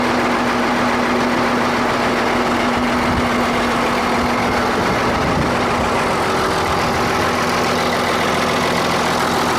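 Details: Ford 8600 tractor in restoration, left running: loud, harsh drone with a steady mid-pitched hum from under the floor; drivetrain noise, source not pinned down.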